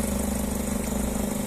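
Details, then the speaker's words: Lada Vesta NG petrol engine at idle with an aftermarket engine cover fitted. Fast, light, buzzy rattle over the idle, less noticeable when revved. Loose engine cover rattling against its mounts; owner is considering removing it and gluing it. "Пойдет, короче. Меня не особо напрягает этот звук."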